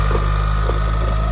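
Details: Mitsubishi Evo engine at idle with the accessory belt off, new balance shaft belt and rod bearings: heavy low rattle and knock felt at the oil pan, much quieter with the clutch pressed; the cause was a wobbling, loose flywheel.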